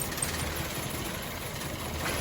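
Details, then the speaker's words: Petrol car with unstable, stumbling idle, poor acceleration and shaking despite three new coils and new spark plugs: lumpy, uneven idle with one cylinder dropping out, traced to cylinder 3 via a clogged injector; misfire from clogged injector. "จะสังเกตได้เห็นได้ว่ารถมีอาการสั่นนะครับเดินเดินไม่คสุดเดี๋ยวเรามาเช็คคอยดูนะ"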